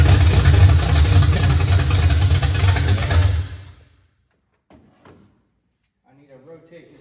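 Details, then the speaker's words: 1979 Chevy Camaro V8, first start in 4 years, boat gas feeding the fuel pump: loud, lumpy rumble with an uneven beat for three seconds, then shutdown; timing firing late, distributor to be turned counterclockwise. "thing. It's It's firing after. So, what do I need to Well, it's running clockwise. Turn counterclockwise."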